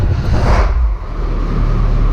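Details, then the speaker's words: IH 1700 truck, diesel V engine the owner believes is a DV550 (maybe 550B), cold start on a cool morning with no glow plugs or preheat, throttle pushed slightly while cranking: short crank, then it catches into a steady idle rumble as oil pressure rises. Normal start. "but we did figure out Eric figured out that if you push on a throttle just a little bit when you crank it"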